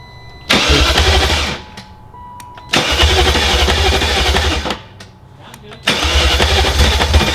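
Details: Replacement engine in an E38 build, first start attempt on a weak jump pack: three cranking bursts, each catching about one to two seconds then collapsing; oil pressure present, fuel arriving, jump pack cycles on and off without enough power to keep it turning.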